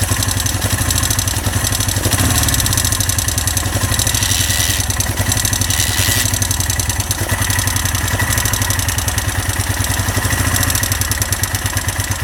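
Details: Honda SL 175 single-cylinder engine at idle: steady beat with a dry, even clatter riding on every firing stroke; a rattle in the engine, cause not yet pinned down.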